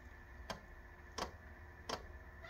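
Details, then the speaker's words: Portable diesel heater run from a motorbike battery at startup: sharp single fuel dosing pump clicks about every 0.7 seconds over quiet background, ticking evenly. Normal fuel pump clicking. "we got a click but I'm not going to hold anything out until we get some heat so I'll come back in a second sounds good though doesn't it"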